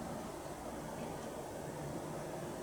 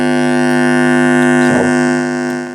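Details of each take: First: TEAC PowerMax 60-2 90s PC speakers after recapping, at maximum volume: only soft hiss and a barely audible low hum; normal quiet output, repair successful. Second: TEAC PowerMax 60-2 1990s PC speakers: a loud, steady buzz with a strong hum note; the owner believes he knows the fault, possibly poor power-supply filtering, not confirmed.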